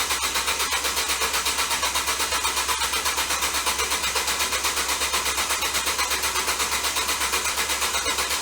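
Steady whirring crank with even pulses about twice a second and no catch; the starter sounds laboured and the engine never fires. Cause suspected, not confirmed.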